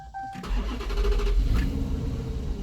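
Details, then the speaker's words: 2015 Dodge Charger with hard-start complaint, before fuel pump replacement: short crank, catches, then coughs and runs unevenly fighting to stay alive; fuel pressure bleeds down quickly at shutdown; fuel delivery fault. "ah look at that coughing and trying to keep itself alive there it goes"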